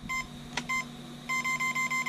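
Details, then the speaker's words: 1:12 scale RC car (upgraded Deerc 9200e) with GoolRC 3500KV brushless motor and 60 A ESC: fast, even high beeps, about six or seven a second, repeating from the ESC at power-on; throttle range and trim not calibrated, fix is centering remote settings. "you get the rapid beep right everybody's getting this rapid beat nobody understands what's going on how to get disconnected"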